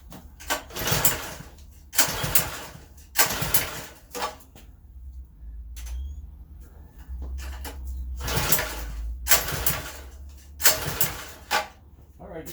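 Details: Customer's partially disassembled pressure washer engine: repeated pull-start bursts, each a brief sputter dying between pulls; never catches or keeps running. Spark and fuel still being checked.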